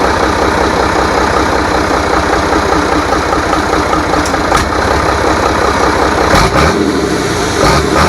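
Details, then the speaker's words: Rebuilt International DT466 diesel, formerly knocking, on its test run with the valve cover still off: deep, even clatter at a steady beat with no knock or stumble. It idles clean and healthy after the rebuild. "so now we know it runs good uh so far we're going to do some other maybe adjustments and a few other things"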